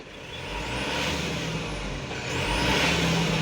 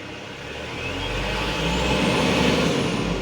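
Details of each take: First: Mitsubishi Canter Euro 4 truck diesel with electronic throttle pedal: on a sudden full throttle stab revs hold near idle about 2 seconds before climbing, but rise directly with gradual throttle; power drops on loaded climbs. Throttle response lag. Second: Mitsubishi Canter Euro 4 diesel truck with electronic throttle pedal, throttle applied gradually: revs climb slowly and evenly with no stumble or knock, rpm stable. Engine pulling cleanly.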